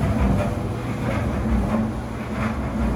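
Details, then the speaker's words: GE Laundry Center GUD27ESSJ1WW dryer, previously not turning on, tested empty after a system reset: steady low rumble with a soft tumbling swell and light drum hum, no scraping or squeal. The dryer runs normally. "as you can hear and see, our dryer is up and running."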